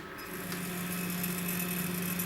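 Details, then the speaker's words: Chinese laser cutter with RDWorks controller, stepper-driven head: a steady, even, low hum with no knocking or rattle; motion is smooth, with very little vibration. "millimeters a second very little going on there and also the sound is very smooth"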